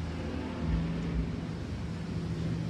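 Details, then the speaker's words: Yamaha Mio J/Xeon RC/NMAX-type scooter, hard starting, idle stays very high; steady fast even hum never settling; idle speed control (ISC) on throttle body faulty, plunger not moving forward, IAP sensor also weak. "kerusakan yang parahnya di sensor ISC langsamnya enggak bisa turun"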